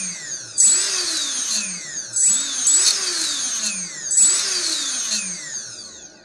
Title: RS2205 screeching noise